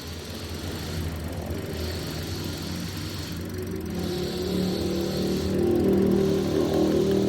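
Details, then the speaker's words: Daihatsu Sigra petrol engine held above 3000 RPM by the mechanic, stumbling unevenly and dipping; spark plugs, coils and throttle body checked fine, and the idle also vibrates strongly. "Kalau ditahan RPM-nya lajunya nyendak-nyendak."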